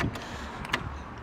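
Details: 2005 BMW R1200ST integral ABS brake bleeding: short low electric whir with light clicks as the ABS servo pump buzzes while a bleeder is opened; much air comes out. Normal pump running.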